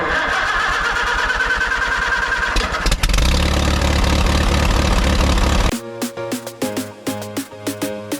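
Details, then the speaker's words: 2012 Ram 6.7L Cummins, 242,374 miles, aftermarket S&B intake, condemned by another shop for fuel filling the engine: fires quickly into a steady, even diesel clatter with no misses or knocks; sounds healthy on start and idle. "All right, as you guys heard, this thing is running, and it runs pretty good."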